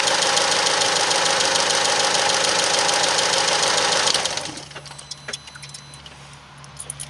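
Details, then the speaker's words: Car with oil and coolant mixing in the engine: a fast, even ticking of about three per second starts at start-up and continues while it runs, then the engine shuts off. The owner is worried; the source is unconfirmed. "it made a really really weird ticking sound one started and it kept ticking when it was actually on which worries me a bit to be honest with you"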